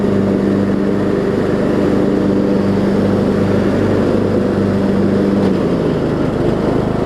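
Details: Troy-Bilt Bronco, Briggs & Stratton 18hp Intek, Chinese Nikki-copy carb with drilled low-side jet, air filter on, low fuel; under blade load drone rises and falls gently every second, mild surge, owner suspects low fuel level.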